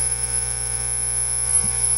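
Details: Marantz 1120 integrated stereo amplifier emitting a constant loud high-pitched squeal over low mains hum through the speakers, from all sources at switch-on; oscillation from oxidized jumper/shorting plugs not making ground connection.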